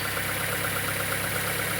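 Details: 2004 Fiat Fire 1.0 petrol engine, warm at idle, microphone held close: constant, fast, even ticking over the engine note; timing belt out of time suspected, not confirmed, before any maintenance.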